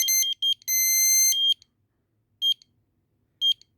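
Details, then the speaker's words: Explosimeter (gas detector) tested with a non-flammable gas cylinder at its sensor cells, quiet room: a long shrill tone, then short beeps about once a second, as the 15% threshold alarm sounds, with vibration. "Donc là, on a vu qu'arrivé à 15%, en fait, il s'allumait. Je ne sais pas si vous entendez la vibration."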